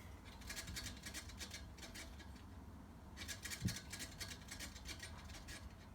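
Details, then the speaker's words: Scott Bonnar Model 45 cylinder mower, reel turned slowly by hand after adjustment, before the bearing-housing nuts are tightened: soft, evenly repeating scissor-like snips all across the bedknife; paper cuts full width, showing correct reel-to-bedknife contact. "so it is a bit of a process but basically I've gotten it to a point where I can hear a scissor-like noise all the way across the bed knife"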